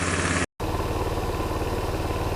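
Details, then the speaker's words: Tao Tao Bull 150 ATV single-cylinder after drive chain and trashed carburetor replaced: quick, even putter at idle with no misses, knocks or surging; normal running. "she sounds nice this should be good"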